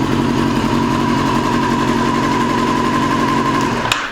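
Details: 2002 Yamaha YZF R6 carbureted four, restarted after sitting 6 years, bad rusty gas previously cleaned from the tank: uneven, lumpy, misfiring idle that cuts out after about four seconds; owner suspects a gummed carburetor or fouled plug.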